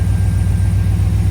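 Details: AK 427 Cobra replica during its build, first-ever engine start on a cold day, in neutral with the clutch not yet bled, small hose leaks noted: deep, steady, even idle throb with no knocks, misses or whine; normal, healthy idle.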